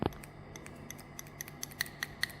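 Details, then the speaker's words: Diesel fuel-additive (FAP) dosing pump bench-tested with a stabilised 12 V supply in quick pulses: crisp light clicks, one click per stroke like a Webasto/Eberspächer pump; the pump works normally. "12 volt stabilizowane i szybkimi ruchami to ma być słychać takie cykanie"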